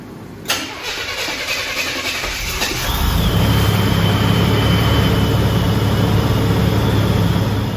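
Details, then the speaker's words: Car started after overheating fix with a new water pump, F-body radiator and transmission cooler lines: short crank, clean catch, then a smooth steady idle with no misses, knocks or squeals. "all right so everything looks and sounds good I'm gonna call it a night"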